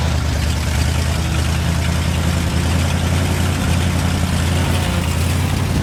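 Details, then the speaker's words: 1971 International 1890 plow truck, abandoned since 2001, after a carburetor rebuild and fuel line replacement. A low steady rumble holds with no surging or dying, staying running on its own. Normal idle. "seems to want to stay running pretty cool"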